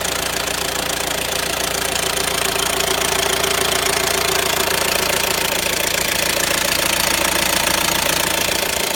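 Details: Renault Grand Scenic 1.6 dCi 130 diesel: fast, very regular light metallic clatter, about three to four a second, over a quiet idle; noisy timing chain suspected, unconfirmed.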